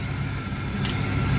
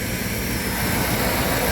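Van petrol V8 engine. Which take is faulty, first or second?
first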